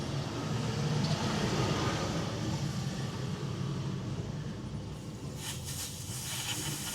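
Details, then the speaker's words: Smittybilt 5.65 CFM air compressor, four years old, with the hose attached: fast steady chugging of the pump with a thin hiss of escaping air over it; leak at the connection, not the valve. "There just pisses it. And if I put my hand around here, see that? Not the valve. So there's my problem."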